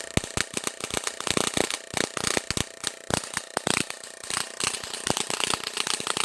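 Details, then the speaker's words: 100 kV Tesla coil supply with about a 10 cm spark gap, turned about halfway up: sharp, irregular cracks and snaps, several a second, over a buzzing hiss; strong arcs from higher voltage, with a small arc also seen inside, probably in the secondary housing. "But the arcs are way much stronger, so you can definitely tell the voltage is a lot higher now."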